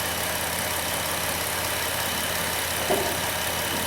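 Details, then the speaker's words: High-mileage 2008 Dodge Grand Caravan, replacement 3.8 L engine nearly warmed up: smooth even warm idle with a steady low hum, no knocks or misses; healthy. "so she just about warmed up looks like everything there is working pretty well"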